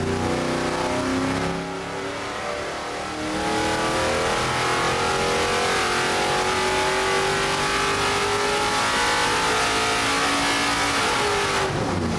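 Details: Rebuilt burnt junkyard 6.4L Gen III HEMI V8, stock short block and heads with springs, cam and manifold change, running on Holley Terminator X ignition: pulls cleanly with pitch climbing as revs rise, crisp, no knocks or misses.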